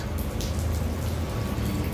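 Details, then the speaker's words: Busted Symmons valve: a constant heavy patter of water pouring from the ceiling and splashing onto a concrete floor, like indoor rain. A major supply leak, later fixed with a new valve. "this is crazy look at all this water at least it's on concrete"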